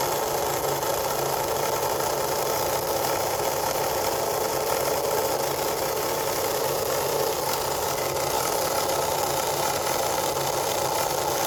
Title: Grinding Noise (Cricut explore air 2)